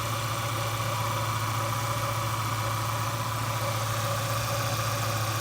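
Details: Ford truck power steering pump idling with a faint steady whine during a power steering fluid flush with ATF; said to improve as the system purges and the truck is driven.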